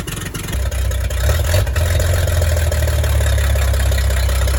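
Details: 1938 Chevy Master Deluxe, chilly Alaska September, with rebuilt carburetor and starter from a 1942 G506: engine catches and settles into steady, even low rumble with no knocks or misses; runs very well, smooth normal idle.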